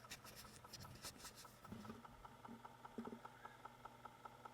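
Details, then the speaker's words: BBC Micro Model B with hacked internal floppy drive, formatting drive one with double-sided double density disc, microphone against drive: faint steady whir with even light ticking, same with no disc; drive spins but format hangs, cause unconfirmed. "you might hear that so that is spinning so with no disc in there that makes exactly the same I'm going to call that a hang"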